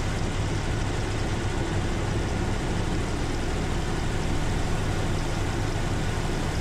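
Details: 1977 Corvette L-48 350 V8 with Quadrajet carburetor, cold start: steady, even fast idle with a smooth low rumble and no misses, engine on choke.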